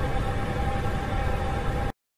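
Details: Hydronic heating system: a steady rushing hiss with a faint constant tone, like a neighbour running a sink behind the wall; thermostatic valve flow noise from water flowing too fast.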